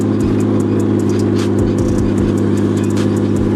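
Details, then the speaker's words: RB-powered Nissan S13 on a street test run, after a no-throttle issue was fixed, likely in second gear: strong, steady six-cylinder drone pulling under acceleration, smooth with no stumbles or cut-outs; running real strong. "Oh yeah. Running real strong. Oh yeah, better."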